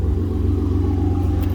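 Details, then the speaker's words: 2015 Ford F-150 Lariat, 3.5L EcoBoost, just fitted with a Corsa exhaust with dual tips and a cold air intake: deep, mellow, quiet rumble with a smooth steady pulse and slight turbo whistle, no rattles; healthy. "very nice just deep tone mellow exhaust note nothing crazy and you do get a little bit of Turbo whistle out of it"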